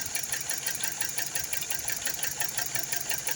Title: 2012 TOYOTA COROLLA Cylinder head gasket leakage causing misfire.